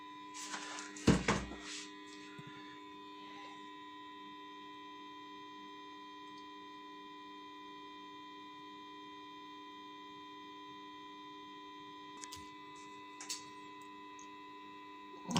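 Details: Tube power amplifier power supply at switch-on: the power transformer hums terribly with a steady buzzy mains drone; it will be impregnated/varnished overnight so the hum stops.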